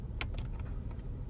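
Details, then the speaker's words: Mercedes-Benz W140 S-Class climate flap actuator, right side, opened and closed from the hidden A/C diagnostic menu: a few soft mechanical clicks and short whirs from behind the dash over a low hum; actuator sweeps normally. "Donc là, hop, j'entends à droite. Je ferme. J'ouvre. Je ferme. Vous l'entendez en fait, c'est un bruit en fait."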